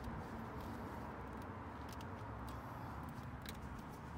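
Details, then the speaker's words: 2016 Toyota Sienna at idle after an oil and filter change, no leaks: soft, even, very quiet idle hum with no knocks, ticks or hunting; engine sounds healthy. "if you could hear the engine is very quiet idle is very good"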